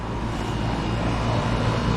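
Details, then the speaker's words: AC unit after replacing a failing capacitor that caused electrical fluctuations: a steady deep, smooth hum with no clanking or stalling; the compressor runs normally and the unit cools again. "You can hear the compressor humming real nice. Sounds good. Everything works good."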